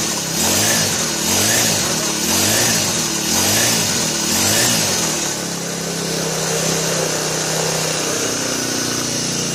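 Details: Brand-new Turbotech SD T35 4S four-stroke brush cutter that would not start; shorted ignition coil replaced, 100 ml 20W-40 oil: revs up and down about once a second then holds steady high running, firing cleanly and evenly.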